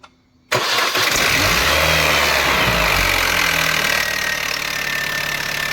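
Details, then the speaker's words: R53 Mini Cooper S bought cheaply, first cold start: harsh metallic clatter over the engine that settles only slightly at idle, much quieter moments later; slack timing chain from a worn tensioner suspected. "so we all enjoy your first start have a listen to this it is"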